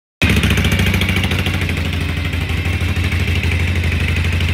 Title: 1967 shovelhead high idle